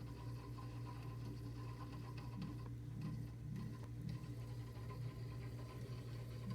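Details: Frigidaire deep freezer making a strange noise: steady compressor hum with a fast, uneven mechanical patter on top, extra noise besides the compressor, cause unclear. Abnormal running noise.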